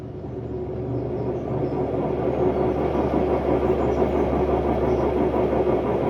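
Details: Hotpoint Ultima WMD960 washing machine, recently acquired, test spin: loud rumbling roar building as the drum spins up, with a harsh droning tone on top; bad drum bearings.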